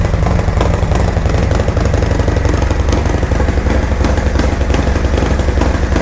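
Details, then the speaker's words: 2024 Harley-Davidson Road Glide (gen2 M8) V-twin, ice-cold first start after Zippers 534 cam change: loud lumpy idle with about two chops a second, no hiss, ticking or leaks; normal idle with cam lope. "Noisy up here, sounds really good. Sucking a lot of air. Oh, chop for me, baby, chop."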